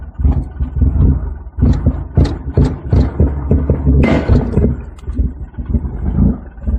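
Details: 1991 Acura Integra LS 1.8L, original engine with 340,000 miles: heavy, uneven loping idle with surges and dips every second or so instead of a smooth beat; rough idle, cause unknown.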